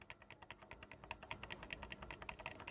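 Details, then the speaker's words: Foot-treadle sewing machine: quick sharp metallic clacks as the loose shuttle post holding the bobbin case is rocked by hand, showing the shuttle hook is worn with excessive play and must be replaced and oiled. "শব্দ হচ্ছে তো এরকম যখন শব্দ হবে তখন মনে করবেন যে আসলে আপনার এটা ক্ষয় হয়ে গেছে এটাকে আপনার চেঞ্জ করতে হবে ঠিক আছে"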